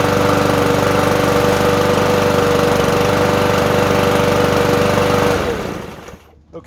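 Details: Lawn mower single-cylinder engine after a carburetor cleaning, new primer line and removed stop, cover off: it runs at a steady, even rapid beat with a constant tone, then shuts off. Normal running.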